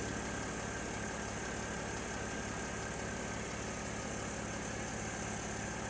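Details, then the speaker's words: Mercedes GL Airmatic after repair with new parts and a fixed leaking hose, engine running, car rising to ride height: steady electric hum with a faint fast pulse and no rattle or strain. Normal compressor operation. "okay now you can hear the compressor kick in see the car rising all the new bits are in you'll hear the compressor stop in a moment"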